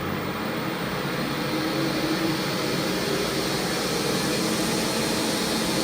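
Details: Warco WM250V three-phase variable-speed lathe, end cover refitted, run around 700 RPM then higher with and without leadscrew gears engaged: smooth even whirr, no knocks or gear chatter; running normally.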